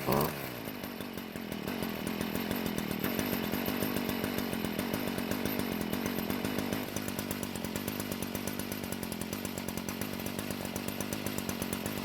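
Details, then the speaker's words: Stihl two-stroke string trimmer that wouldn't reach full speed, now at full throttle: a crisp, steady, high buzz with no bogging, much louder than before because the exhaust leaves the engine with less restriction; it is running healthy. "as you can hear it's finally getting to full speed and it's a lot louder than before which means the exhaust is able to leave the engine with a lot less restriction"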